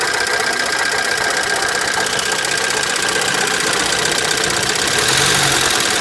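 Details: ABA engine at idle on first startup after a new oil pump and PCV system replacement: a fast, light ticking rides over the engine note, about four ticks a second, hydraulic lifter tick.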